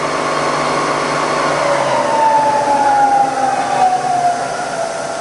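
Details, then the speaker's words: Bridgeport milling machine, Vari-speed head, in low range: spindle at 300 RPM, then middle, then lowest about 50 RPM, just as quiet; even gear hum with tone gliding down as it slows, no knocks or grinding; normal spindle running. "And yeah, it's just as quiet and low. That's 300 in low range."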